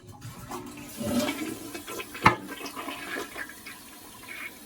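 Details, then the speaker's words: Kohler toilet just after a Fluidmaster Universal fill valve was installed, with the water turned on. A strong rush drains the tank, then a steady gurgling refill follows with no hiss or sputter, so the toilet flushes and fills normally. "We're going left, and now you can hear it starting to fill up, and bam."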